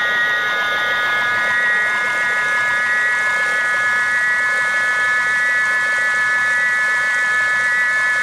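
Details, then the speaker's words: BBS02 e-bike mid-drive motor after 72V overload damage, repaired rotor with added epoxy, spinning free on the stand: loud high whine with an oscillation that triggers the stall timeout; cause unclear, freewheel current setting suspected. "it's kind of like an oscillating that is causing it to St to stall like it's doing the stall timeout"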